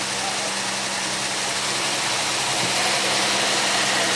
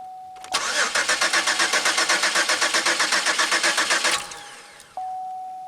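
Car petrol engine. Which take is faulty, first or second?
second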